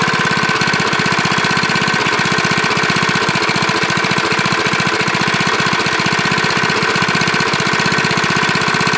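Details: Briggs single-cylinder lawnmower engine with a JB Weld-epoxied, worn crankshaft rod journal, running with no blade; a light regular tapping on each revolution; mild rod knock from the worn journal.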